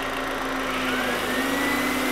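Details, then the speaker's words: 2004 VW Jetta 1.8L with code P0411 (secondary air incorrect flow) and noisy cold start. Air pump is energized by grounding its relay with a test light, giving a steady droning hum over the idle; secondary air pump running. "And all I need to do to give this a ground is touch this. And you can hear my air pump run."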